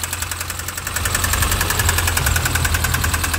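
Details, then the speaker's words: Mini One R50 1.6 16v 90hp petrol, engine warming up after a cold start that didn't fire first time: fast sharp metallic ticking rattle at idle, about three to four per second. A mechanic said it sounds like valves touching pistons; injection checked fine. Suspected slack timing chain from a failed hydraulic tensioner. "nous sommes sur un bruit métallique il m'a dit on dirait une bi ouais comment dire les cubeurs ou les les soupapes qui touchent le piston"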